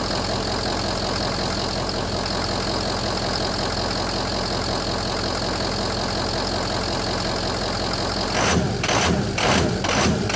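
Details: 2004 Ford F-350 6.0 diesel, rough cold idle: loud clatter with lumpy uneven beat about two pulses a second, smooths out at normal operating temperature; EGR was sooted and cleaned without change; owner suspects injectors, FICM or EGR, cause unconfirmed.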